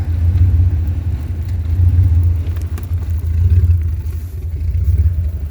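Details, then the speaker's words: 2001 Jeep Grand Cherokee Laredo 4.0L inline-six, cold start at about 6–11° in snow: deep idle that surges and dips about every second and a half, rough when cold, sometimes stalls; rough cold idle. "And see, idle is rough when it's cold, as you can hear it. See? And sometimes there's a stall."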